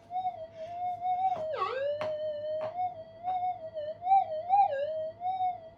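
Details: Upgraded Minelab GPX 5000 on full gain, double-D coil, in a workshop: wavering threshold tone swells as the coil passes; small gold target hits barely stand out from background interference warble.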